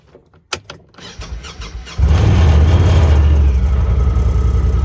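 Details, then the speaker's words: Honda Talon after a repair for sudden rough running, ridden in cold rain: some clicks and clatter, then a strong, even pull with no stumbling. It picks up far better than before, when it barely would. "that's already a lot better right there it used to barely pick up whenever you would start it"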